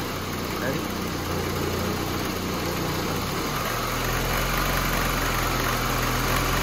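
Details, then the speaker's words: 1988 VW Cabriolet, Bosch CIS fuel injection, idling cold: lumpy, rough idle with motor-mount vibration, then smoother and slightly faster when the loose idle stabilizer valve ground makes contact; rough idle from broken ground. "So you could see the idling and how rough it is. You can hear the vibration of the motor mount."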